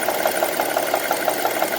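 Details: 2002 Honda CR-V on 10W40 oil at idle: sharp light metallic ticking, roughly eight per second, steady over idle; valvetrain-type tick, cause unknown.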